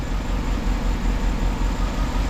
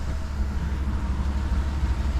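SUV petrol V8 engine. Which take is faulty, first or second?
first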